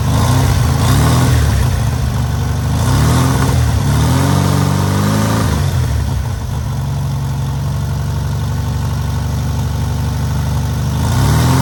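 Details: Newly rebuilt air-cooled VW 1600cc flat-four on its first start and break-in: steady, even idle with a deep low throb and a brief blip of revs, no knocks or misses; normal idle.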